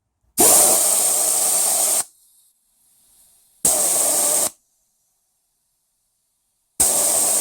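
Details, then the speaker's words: 1996 LandCruiser 80 series 4.5 petrol, A442F automatic (intermittent 2nd-gear takeoff, no overdrive), bench air test of number 2 shift solenoid, the suspect; clean on-off air hiss and it seems okay. It may only fail when warm. "That one seems to be working okay too."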